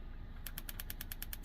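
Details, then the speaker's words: Heat Hog 18,000 BTU portable propane heater on hose-fed tank, set to pilot and depressed. Igniter gives sharp even ticks about eight per second, sparking normally to light the pilot. "and uh then I'm going to hit that igniter and then it's going to light up."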